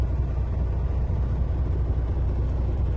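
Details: Air-brake truck diesel at idle, rpm not raised, compressor building pressure from 85 toward 100 psi: a steady, even low rumble with no knocks or hiss. Build-up took about 28 seconds, within the two-minute limit, which is normal.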